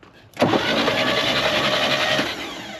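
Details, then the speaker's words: 1960 Chevrolet Bel Air, off the road about 45 years, engine turned over by jumping the starter solenoid: sudden harsh grinding for about two seconds then fades; suspected rust clumps or debris in the flywheel. "There she goes. What was that? It's got to be in the flywheel."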